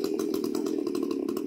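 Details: Chainsaw after cylinder bore and piston kit replacement (previously would not start however many pulls), chain fitted, outdoor test run: steady high buzzing at constant speed with even crisp pulse, no stumbles or rattles; engine running healthy.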